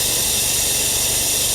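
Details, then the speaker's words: Cheap Porsche 911 Carrera cooling system vacuum-filled with a Shout detergent flush mix via an air-driven filler. A constant loud high hiss with gurgling as the gauge approaches and hovers just above 25. Normal filler operation. "I hear some gurgling going on here. We are quickly approaching that 25 mark."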